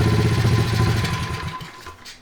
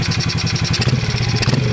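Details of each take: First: 2003 Honda XR50 pit bike, modified, sat outside long time, won't idle: engine bogs when throttle snaps open off idle and dies within about two seconds; dirty carburetor suspected as cause. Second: Modified 2003 Honda XR50 pit bike after carburetor adjustment, engine still cold: crisp, even revs climbing and falling without stumbling, and no smoke. Running much better.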